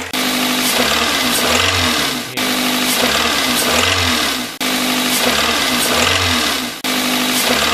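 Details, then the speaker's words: Toyota VVT-i engine (2001–2018 family) with suspected bad bearing damage; when revved, a sharp metallic hammering knock rises with engine speed, sometimes as small hitting like a hammer: rod knock. "Okay, and there was this really now, this bad hammering sound, and I try to demonstrate that sound. And it is something like that when I add these revs in here, and sometimes there is that kind of small hitting."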